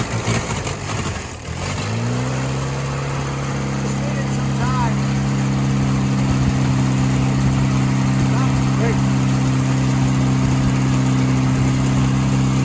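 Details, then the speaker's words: 1966 Jeep CJ5 from a farm auction, off the road for decades, started on the key after a clutch linkage fix, starter condition uncertain: after a rough catch it settles into a smooth, even, steady idle with no misses or knocks; normal idle. "we're going to try the key see if that works ready yeah it sounds like it did before good"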